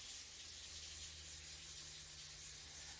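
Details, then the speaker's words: Newly wired 12 V DC water pump switched on; steady rush of water into the sink over a low, even motor hum. Pump running properly. "This is the water pump, so when I turn it on, you should hear the water start running in the sink."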